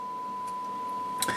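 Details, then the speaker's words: ICOM IC-910H with an intermittent no-receive fault on the main receiver, after about 3 hours running: a clean, steady test tone around 1 kHz from the signal generator is heard on the sub receiver. The sub receiver works normally while the main receiver has lost the signal. "you hear that uh now we can receive our signal as we were able to do it before we can re receive it on uh the sub receiver still"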